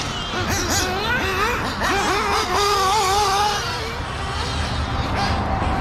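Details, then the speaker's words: Freshly rebuilt FX K302 RC nitro engine during break-in on Worlds Blend V2 fuel. Revs are uneven and blubbery, never cleaning up to a crisp scream, with the idle a little high. Still rich; the carburetor needs adjusting. "all right she's still rich all right [Music] all right she's still rich idol's up a little high"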